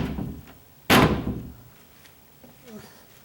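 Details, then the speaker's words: Cabinet door closing with one hard, sharp slam and no cushioning during condo renovation; the flattened 1/8-inch clear bumpers let the door strike the frame, and thicker 3/16 or 1/4-inch bumpers may be fitted if the noise bothers. "And I might have to put those on there if that noise is going to bother you."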